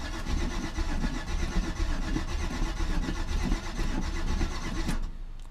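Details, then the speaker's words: Classic Chevy C10 pickup truck sitting about five years in a pasture, previously parked for a knocking engine: steady, even cranking for about five seconds without catching. Owner doubts fuel pump pickup and fuel quality, plans starting fluid in the carburetor. "don't want to just crank it forever give it a break for a second or two we don't want to burn the starter out okay I'm probably gonna have to squirt some starting fluid down and throw to the carburetor just to help get it going"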